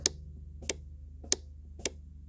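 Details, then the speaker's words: Mercedes E220 W210 wiper diagnosis, key in first position; four crisp clicks about 0.6 s apart over a low hum from the speed relay with the stalk on maximum, no clicks on levels one and two: stalk switch is fine. "you just hear the click from the speed relay while the switch inside is on the maximum so you can hear that right"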